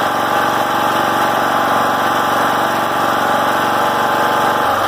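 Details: John Deere L100 rider, after fixing high idle: smooth, steady engine note holding constant speed without hunting or surging; running healthy.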